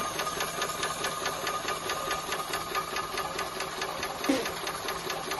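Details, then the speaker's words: Maxitrak 5-inch Alice steam locomotive, brand new, on air with cold water, check valve nut undone to test axle pump: crisp even ticking about 1.5 beats a second, no stumble; pump stroking normally. "so if you open this little valve up open this little nut off you should get quite a lot of water you know that's"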